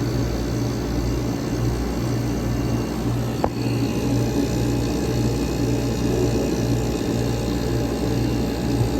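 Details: 1965 Weather Wheel vintage window air conditioner with classic Tecumseh AJ compressor, back in service after annual inspection, running on a separate fan and already getting cold; steady low hum with even fan rush, no knocks or rattles; normal running.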